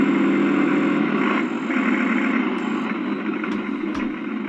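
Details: Accucraft Goose #2 on blocks after the broken drive gear was replaced, chain drives off, power increased on the rear wheels: steady, even mid-pitched whir with no knocking or grinding; the gear drive runs smoothly.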